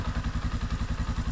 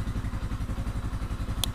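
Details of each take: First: Yamaha Scorpio single-cylinder motorcycle: a heavy thump at about nine beats a second with a loose metallic rattle on each beat. The rough noise comes from the clutch and is harsher when the clutch is released; the valves need adjusting. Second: Used Yamaha Scorpio motorcycle checked as a custom build base, started on the electric starter: steady even single-cylinder thump about eleven beats a second, no knocks or rattles; healthy idle, only minor valve adjustment needed.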